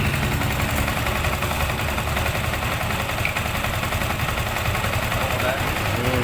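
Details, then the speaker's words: Yamaha Sniper 155 after repair of top-end noise (chain guide broken, cam gear and slack timing chain replaced) that another shop failed to fix: steady, even single-cylinder idle, no chain rattle or ticking; quiet and normal. "O na all goods na yan umaandar na siya. Okay. Ayan oh. Ayan okay na."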